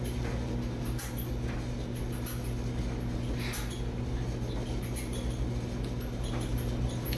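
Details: Roughly 10-year-old dryer whose pulley was replaced in June 2023, with squeal returning by February 2024: steady running rumble with faint irregular squeaks; drum squeak, cause unconfirmed.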